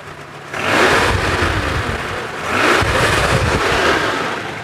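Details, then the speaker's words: 1990 Daihatsu Zebra 1.3 (1300 cc) engine revved: two clean throttle blips rising and falling smoothly, no metallic noises or knock, no exhaust smoke; healthy engine. "Saya geber pun suaranya masih, nah suaranya masih enak, nggak ada suara-suara aneh-aneh lah kayak suara metal gitu ya."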